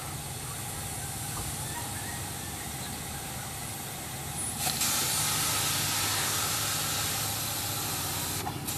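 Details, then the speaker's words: Boost leak testing on a turbo car with the engine rumbling in the background. A sudden loud, steady hiss of escaping air keeps going; the leak is at the boost leak tester itself, a tool failure. "looks like it's coming out the tool yep well I got another boost leak tester"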